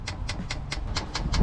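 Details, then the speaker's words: Chinese diesel heater in a Sprinter van conversion, heard from underneath while first priming: the dosing pump ticks evenly at four to five sharp clicks a second. Normal, though an E10 no-fuel error followed (suspected parked at an angle). "Right, so if you can hear that, that's the pump going, and it's basically trying to get fuel."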